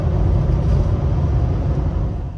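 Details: 6.7 Powerstroke diesel after complete CP4 fuel system replacement, low fuel in tank, driven about 20 minutes, full-throttle quarter-mile test: deep even roar with steady pull and no misses, knocks or stumbles; running healthy.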